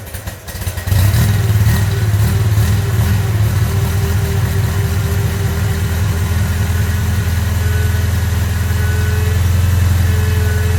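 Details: Datsun 620 with 1500 L20B engine, first start after head removed and valves cleaned: catches and settles into steady idle with faint whirring above the low rumble; source not yet identified.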